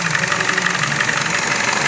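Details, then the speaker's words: 2012 Chevrolet Cruze 1.4L with codes P0171 and C0050, hood open at idle: steady airy hiss of a vacuum leak over smooth idle, apparently near the PCV system. "going to try to see if we can't find out where that vacuum leak's coming from."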